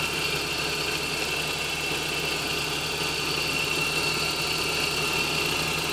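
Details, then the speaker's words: 1988 Toyota Pickup 22RE after rewiring the starter relay with a new fused 30 amp wire and cleaning the relay contacts to fix an intermittent click-no-start: it starts right up to a smooth, even idle with no misses, knocks or hunting. "well as you guys saw it started right up there"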